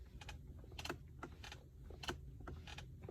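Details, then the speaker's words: 2019 Mercedes C63 S AMG Coupe, 6,000 miles: irregular short dry creaks and chirps from the seat as it is rocked, no engine audible; seat squeak that normally shows when cornering, cause unknown. "the seats do tend to squeak when you're going into a corner i don't know if i can replicate that let me try right now you can hear a little bit of it"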